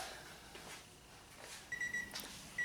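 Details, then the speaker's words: 1995 Honda Civic Del Sol, after a battery-drain and brake-light-switch repair: a steady high electronic chime repeating in short bursts in a quiet cabin, the key-in-ignition reminder. "has a little bonus footage if you can hear that key going off"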